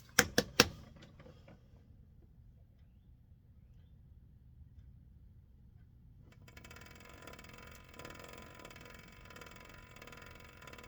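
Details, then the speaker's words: 1962 Sprunger Brothers wood lathe driven by a sewing machine motor, just after its headstock bearings (20 x 47 mm) and belt were replaced: switch clicks, then only a faint, even motor hum with no clicking or knocking; running quietly and healthy. "Oh, that sounds great. It's just the motor. Yeah. Oh, it's totally quiet. Yeah, all I hear is the motor, which is fine."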